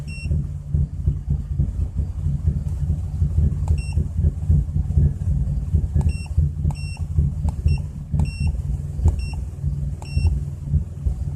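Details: 2004 Chrysler Crossfire at idle while reading OBDII scan tool data: low, uneven, wavering rumble with occasional stumbles, electronic beeps in background; rough idle.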